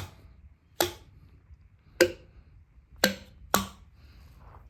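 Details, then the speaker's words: Small block 350 V8 being torn down for a deadly lower knock, intake and rocker arms off: hammer taps on the valves give four crisp, ringing metallic clicks, so the valves are free, not stuck. "you hear the clicks on all of them, they're not stuck."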